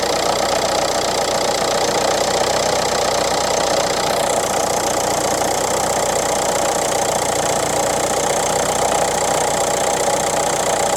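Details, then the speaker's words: Renault Clio IV 1.5 dCi losing engine oil, check-engine light lit with a fuel injection system warning: a busy, uneven diesel clatter at idle with a harsh rattling edge and no steady beat; it runs poorly. "Ale posłuchajcie to chodzi. Chodzi słabo."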